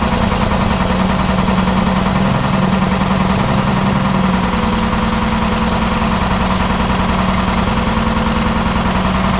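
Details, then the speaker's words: Big Red, a diesel truck hauling corn, cold start with the block heater not plugged in and new batteries: steady diesel clatter at a low, even idle, settling smoothly with no misses or knocks; healthy engine. "So we're going to fire her up and see what she sounds like. To date, I've had pretty good luck with starting it when it hasn't been plugged in."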